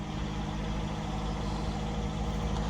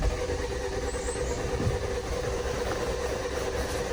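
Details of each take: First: 2018 Jeep Compass Latitude, light-damage rebuild, after first start: steady, even low rumble at idle with no knocks, misses or whine, and a very quiet exhaust; normal idle. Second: 2018 Jeep Compass Latitude, lightly damaged rebuild with near-dead key fob battery: steady even cranking for several seconds that never catches; engine turns over but won't fire.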